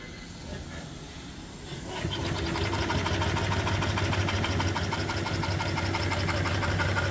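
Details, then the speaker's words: 5 HP steam engine, 3-in bore, 4-in stroke, with flyball governor, fed from a 20-inch copper-tube boiler: steady, even chuff of about 200 beats a minute once steam is admitted; runs beautifully, normal running. "It runs beautiful."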